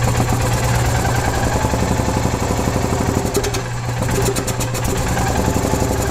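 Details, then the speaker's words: 2015 EZGO Express S4 gas golf cart that sat over winter, crank-no-start with water in the carburetor; after a fuel filter was added it starts without choke in neutral and settles to an even, steady idle with no misses: normal idle. "okay so we're able to get the engine to start without choke which is good"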